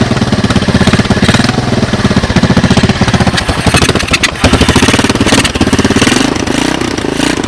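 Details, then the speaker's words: 1986 Honda TRX200SX ATV cold start on portable GY6 12 VDC CDI ignition box, Honda 200S carburetor, choke on, slight throttle: steady, even single-cylinder low idle, no misses, knocks or popping, no smoke; sounds good. "chokes on CDI boxes on kind of see the gas going down sounds pretty good"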